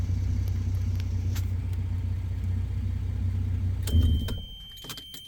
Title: 1997 Toyota Landcruiser FZJ80 startup rattle or knocking noise